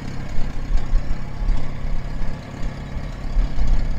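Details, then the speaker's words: International 424 tractor, first start after rescue, coil hot-wired to 12 V battery, new fuel shut-off on the line: steady, even low rumble at idle with no knocks or misses; whole thing runs good. "yeah that's going to get fixed too here we go whole thing runs good"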